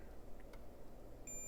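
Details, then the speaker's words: PS5 on the bench that beeps but shows no lights: a steady high continuity tone holds as the meter probes a capacitor that looks physically fine, reading under 0.1 ohm; a dead short across it. "let me just kind of confirm here with the meter in continuity mode we do have a short right"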